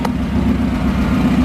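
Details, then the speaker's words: Honda H22 after a fix blamed on the throttle body, described as curing an intake manifold vacuum leak: steady, smooth low idle, no surging or hunting, at -20 map, engine temp 160, intake air temperature 58; idle now good. "So we got the perfect idle at 9. -20 map. Engine temp 160. Intake air temperature 58. It's idling smooth."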